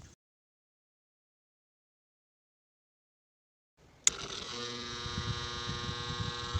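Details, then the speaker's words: Clip fan just switched on spins up with a steady buzzing hum and faint rapid flutter; noisy running, blades and back found full of dust, cleaning planned. "as we can hear the fan is noisy let us take a closer look to the fan to see what may be the cause of the problem so as we can see the fan is full of dust"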